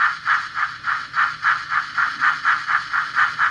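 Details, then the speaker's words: Fleischmann 4118 BR 18 model steam locomotive with the drive in the tender: the motor whirs with rhythmic rattling chatter about four times a second while the loco doesn't move; owner suspects slipping tender gears and has ordered replacements. "But just for some reason, the gears slip."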